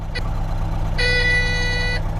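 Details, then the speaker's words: Caterpillar 18M3 motor grader at diesel idle after a temporary field fix for lost steering (suspected mud around the front-axle steering cylinder): a short chirp, then a one-second high beep, the steering fault warning. "That loud beep beep you're hearing is the steering fault warning and I'll have to drive all the way to the workshop with that sound going. Trust me, it's extremely annoying."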